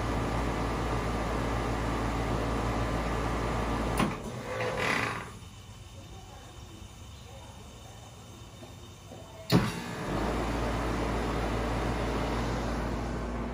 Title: Ar condicionado barulhento